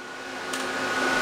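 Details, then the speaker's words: Antminer E9 Ethereum ASIC miner (rated 2400 MH/s, about 1900 W, 240 V supply), two boards at frequency 450 starting to mine: steady high whine with airy rush growing louder as cooling fans ramp up normally. "It's starting to ramp up now. I can hear the fans start going"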